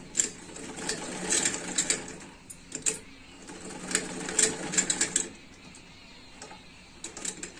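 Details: Sewing machine after setting the nut with slight play and oiling it to cure a kat-kat knocking: light, quick stitching chatter in even bursts with no heavy knock, running freely and healthy.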